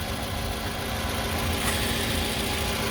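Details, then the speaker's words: 2006 Toyota RAV4 on its first startup after an AMSOIL engine flush and oil change: a steady, even idle with a smooth low hum and no ticking or knocking. The engine sounds healthy. "Ooh, you can hear the difference. You can feel the difference when I started it up."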